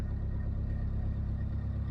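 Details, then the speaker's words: Narrowboat diesel after oil and filter change: idle raised from just over 1000 rpm, which vibrated and rattled the boat, to just under 1100 rpm; smooth even low thrum, no knocks, nice and quiet. "So I just brought it up a little bit, just under 1100, and that settled things down and it's nice and quiet."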